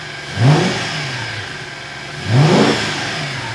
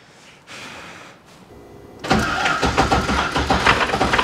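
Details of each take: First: Porsche 986 Boxster with swapped V8, first run after reassembly with fresh oil, temperatures rising gradually; two clean quick throttle blips settling smoothly back to even idle, sounds healthy; oil and power steering leaks noted. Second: 1998 Porsche Boxster with Audi V8 swap, first start after long break, no coolant filled: cranks, catches, runs about four seconds with harsh rapid chatter over idle.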